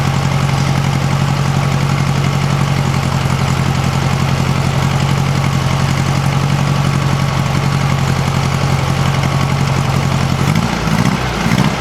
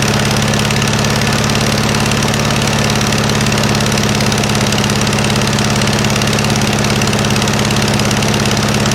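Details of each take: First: 1956 VW Beetle flat-four on a swapped-in Solex 34 PICT 3 carburetor, warming up from cold: a quiet, even low rumble at idle with no ticking or puffing. It sounds healthy, though it still needs some adjustments. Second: 1956 VW Beetle engine at idle on a stock Solex 34 PICT 3 carburetor, chilly day: a regular puffing pop about three times a second over the engine note. It is exhaust leaking at the heat riser flanges, which have no bolts fitted, not valves.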